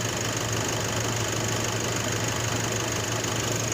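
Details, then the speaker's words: Nissan NP300 pickup at idle on start-up: fast light ticking, about three per second, over a steady idle hum; intermittent under-hood noise; alternator bearing suspected, checked with stethoscope on alternator. Cause not confirmed. "Alright, as you can tell, you hear a loud ticking noise. So I suspect that is a alternator bearing."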